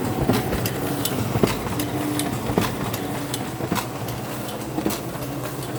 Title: Clicking noise on sp5300dn